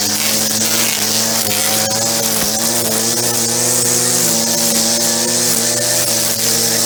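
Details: Echo SRM-2400 string trimmer, believed mid-1990s, slightly bigger engine than the SRM-230, just started after priming and choke. Steady, high, buzzy two-stroke drone with only slight speed wobble, running evenly throughout; sounds healthy, though it vibrates a lot.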